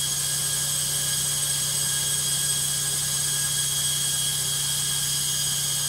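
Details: Logik washing machine on spin: loud steady high-pitched roar with a hum underneath and no speed changes, noisier than normal; cause unclear.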